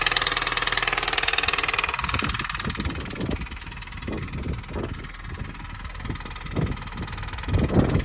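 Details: 2005 Mini Cooper S R53 idling with loud, irregular clapping knocks about every half second over a hissy background; source not pinned down.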